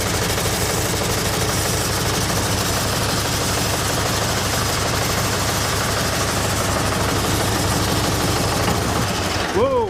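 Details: John Deere 401C diesel being brought back to life, first run with throttle at about half after priming the fuel lines: loud clatter with an uneven, lumpy beat, running rough; oil cooler flex hose was left off, spraying oil.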